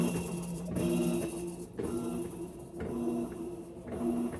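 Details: Electrolux LTE12 version 2 washing machine: tonal hum surging and fading about once a second as drum tries to spin; noise on spin.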